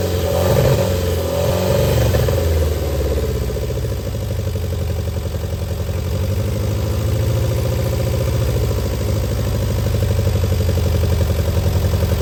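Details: Barn-find Austin-Healey Sprite on jump pack, first start with throttle and choke worked by hand: uneven, lumpy idle around three or four beats a second, surging and sagging; rough running on choke.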